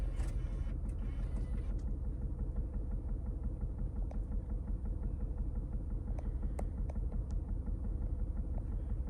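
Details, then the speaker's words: 2009 Lincoln MKS 3.7L V6 idling roughly with an uneven stumbling pulse; customer complaint of vibration confirmed, code P0305 misfire on cylinder 5, coil suspected; parts recently replaced without fixing it. "bueno ya confirmamos la queja de cliente en el cilindro número 5 tenemos el problema"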